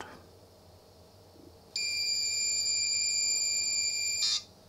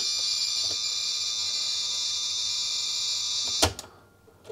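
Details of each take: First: 1980s Sanyo Wavy 23 MSX2 (PHC-23J, Japanese 100 V) loading from its cassette recorder after a rewind: a steady, clean high-pitched data tone as the BLOAD loader reads properly, which is normal. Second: 1980s Sanyo Wavy 23 MSX2 (PHC-23J, Japanese 100 V) loading from its special cassette recorder: a high data screech with a scratchy edge, ending in a clunk; the load fails, likely because the recorder mode switch is between modes.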